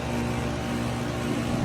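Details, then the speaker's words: Heat pump outdoor unit in heat mode after repeated freezing and defrost cycles: loud, rough, steady roar with heavy low hum and a possibly rattling side panel; compressor sounds strained and harsh, cause not confirmed. "I don't know if it's going to freeze like that again. It might. I don't know. But shoot, that compressor still sounds bad."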